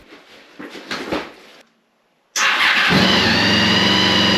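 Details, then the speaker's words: Honda VFR800 V4 after maintenance including a brake fluid flush: brief starter whir, catches at once and settles to a steady, even idle with no knocks or misses. Sounds good, left to warm up. "sounds pretty good so far I'm just going to let it warm up"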